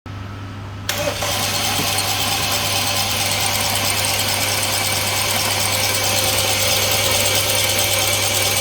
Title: BMW F30 320i N20 Engine No Compression Won't start